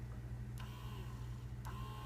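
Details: 2001-2004 Toyota Tacoma air mix servomotor (blend door actuator, part 87106-04010), removed and bench tested, sometimes fails with rapid clicking: quiet steady low whir with a couple of light clicks as the arm travels; working normally.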